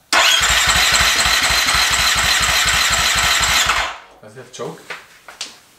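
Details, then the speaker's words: Husqvarna FE350 dirt bike built to FE 366, first start after full rebuild: even starter chugging at about four compressions a second with no ignition, then stops; crank no-start because the spark plug wire wasn't fully seated. "Alright, so we found out that the spark plug wire was not all the way on the spark plug, so we put it in and see how it goes now."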